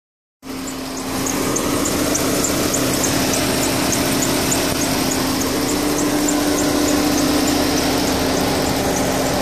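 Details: 2008 Volkswagen Touran 1.4 TSI Sport (170bhp) running: thin, high-pitched squeak about four times a second, in sync with engine revolutions; also squeaks just before acceleration during gear changes under harder throttle. Cause unknown.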